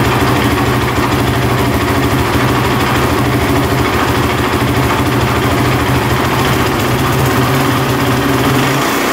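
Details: 2007 Honda TRX450 quad that bogs and won't rev out, started on choke: a lot of chattering from the top end over a rough, uneven idle, and it keeps shutting off; the carb is leaking and it sounds like it may be flooding.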